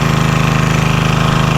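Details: Vintage Homelite generator, probably late 1970s, unused about 30 years, restarted with little work: steady, even single-cylinder chug at constant speed, nice and quiet, no misses or knocks; normal running.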